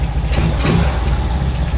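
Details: Kawasaki ZX130 single-cylinder after kick start, 28 mm carburettor, silencer fitted: steady low idle with quick throttle blips, firm and even; runs healthy.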